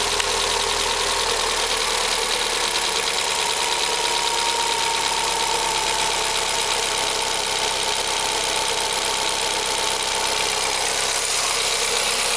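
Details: VW Gol G6 1.0 on a cold first start: fast, light, even ticking over the idle. The VW dealer diagnosed faulty hydraulic lifters; the engine was opened and they were replaced.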